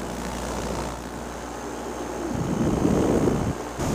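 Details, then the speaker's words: Fresh Breeze Simonini 122 paramotor after an on-field repair of a slipping belt and a prop adjustment: even, steady propeller drone under wind rush with no belt chirp. Normal paramotor engine running. "Propeller seems to be doing fine. Sounds good. It's also important to listen to your engine at idle."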